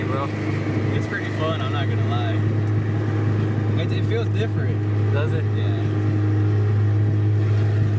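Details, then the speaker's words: Turbocharged Honda Civic with a failing clutch, idling super high at about 3,000 rpm in neutral: steady, even drone that never settles down. "yeah it's idling super high that's a neutral yeah it's a neutral it's idling at 3,000"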